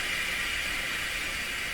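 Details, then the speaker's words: Grundig 2030 AM/FM tube radio with volume at full: a steady, loud rushing hiss from the output that persists no matter which RF or detector tube is installed. Improper voltage to a tube is suspected; not confirmed. "there's that sound again didn't matter which tube was in"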